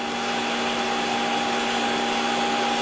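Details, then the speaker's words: Hottop KN-8828P coffee roaster in final roast segment, fan at maximum speed, loudest it gets: steady whoosh and constant hum with drum movement audible, no rattle or scrape; normal fan at full speed. "So this is as noisy as the Hottop gets during roasting, and you can still hear the movement of the drum quite clearly over the fan."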